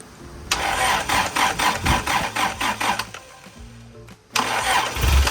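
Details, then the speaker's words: 1994 Toyota Pickup with a rebuilt 22RE, first start in neutral: the starter cranks and the engine catches with oil pressure, then a steady droning whine rides over the idle because the power steering pump sounds terrible. "Got oil pressure, but I turned it off really quick cuz I [music] the power steering pump sounded terrible."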